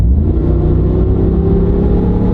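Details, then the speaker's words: Dodge Ram 4WD truck cruising: a steady low droning hum with a faint tonal whir whose pitch rises with speed, and no knocks or grinding. It is only noise from the highly aggressive tires, which are in excellent shape. "where we go you can hear the pitch and the tires get louder cuz they are aggressive as you can see these are highly aggressive tires they're going to make noise"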